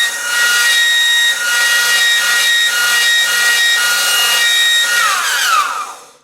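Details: Delta 1-inch belt sander, 1/4 hp motor, found by the roadside, initial run before cleaning: loud steady high-pitched squeal over the sanding rasp, sliding down as it coasts off; owner suspects motor bearing; seized motor bearing squeal.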